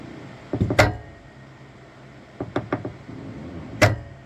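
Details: Saturn Ultra 4 16K resin printer at print start, platform rising and continuing up: dull irregular knocks in small clusters over faint hum, one sharp bang later; Z-axis knocking, cause unclear, printer takes a while to reset before printing.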